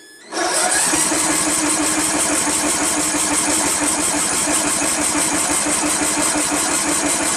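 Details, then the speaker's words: Free Craftsman LT1000 16 HP lawn tractor, fresh gas, battery charger on engine-start mode: steady starter cranking that never fires, even with starting fluid sprayed in; solenoid clicking, no fuel getting through, cause suspected, not confirmed. "I can hear the solenoid opening, closing. It's not getting any fuel, but we sprayed it in there, which means it should have had vapors going into the intake manifold and igniting from the spark."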